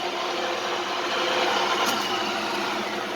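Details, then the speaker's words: Clausing 8000 series lathe after repair, spindle test in forward and reverse with the brake working, running dry without coolant. Steady, even whir with a light high hum and no knocking, grinding or surging; both directions run about the same. "Forward and reverse both work about the same."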